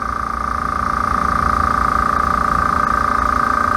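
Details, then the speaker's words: Small no-name air compressor filling its tank, not vibrating much and fairly quiet: quick even piston pulsing with a clean whine on top and no knocking; healthy, normal running. "as you can see it's not vibrating a lot it's not making a lot of sound"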